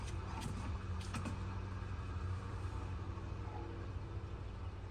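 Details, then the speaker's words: MK7 GTI 02Q 6-speed manual transmission, newly installed Wavetrac LSD spun by hand with axle fitted after assembly; quiet even whir, no binding or grinding, differential spins freely. "I don't hear any binding or grinding or anything."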